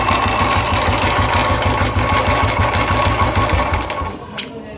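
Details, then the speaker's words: Royal Enfield single, loud noise when cranking on the electric starter, then an intermittent steady knock about three per second while running, like something striking inside the engine; one-way starter clutch (bearing inside) suspected, broken rollers and spring. "Self से स्टार्ट करोगे तो बहुत ज़्यादा आवाज़ आ रही है और स्टार्ट होने के बाद में एक अजीब सी आवाज़ आती है, कभी आती है कभी बंद हो जाती है।"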